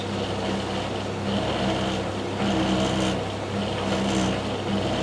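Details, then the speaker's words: Tumble dryer, engineer already refitted a bearing, still running with a low, continuous rumble and rough uneven hum; the fault persists. "I'm now going to turn it on and you can still hear the problem. Will take a while. can hear a rumbling noise."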